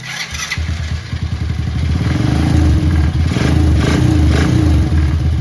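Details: ATV after replacing the starter chain and the tension guides (it had made a weird winding noise before): foot on the brake, a short crank catches quickly into an even, rapid putter. Clean start and healthy idle.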